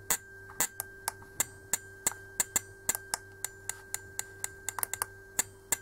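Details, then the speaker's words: Common rail metering solenoid on a cheap DIY injector/solenoid tester at 1% duty cycle, then at higher frequency. Crisp metallic clicks about three a second, slightly uneven, with clean quiet gaps; the solenoid is switching normally. "nasz elektrozawór zaczął sobie cykać już wypełnienie jednego procenta dla niego jest bardzo długim czasem jeśli chodzi o kwestie impulsu jego wypełnienia"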